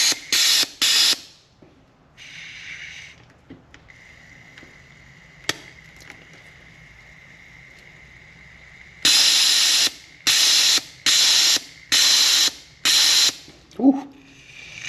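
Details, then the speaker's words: Polaris RZR 900 fuel injector bench-tested off the engine, pressurized with cleaner and pulsed by battery via alligator clips. Sharp, even hissing spray bursts about once a second with clean cut-offs; the injector is opening, closing and spraying normally. "All right, that looks clean."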